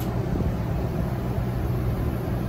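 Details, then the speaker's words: 2009 Ford E450 shuttle bus AC unit after blower motor replacement, fan on low: steady low hum with soft airy rush, no rattle or squeal; normal quiet blower running, still blowing cool. "all right this is the air or low that's quiet"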